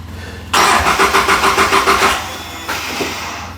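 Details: Polaris RZR 800 that won't start: starter cranks in quick even pulses for about a second and a half without firing; crank no-start, later traced to a likely fuel pump issue.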